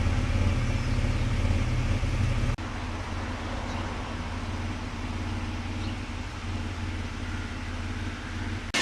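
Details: Mitsubishi after fixing fuel pressure loss that caused long cranks and rough idle, warmed up after a cold start at 8°, with a squeaky alternator easing off. Steady, even low idle hum with no stumble or hunting.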